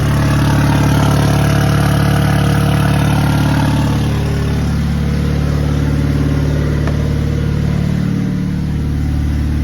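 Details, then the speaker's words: Lexus SC300 with 2JZ-GTE swap, first start: loud, steady idle with a slightly uneven pulse of about three stumbles a second that doesn't fully smooth out; a minor misfire, cause not confirmed. "Sounds like there's a little bit of misfire, but yeah, start it up."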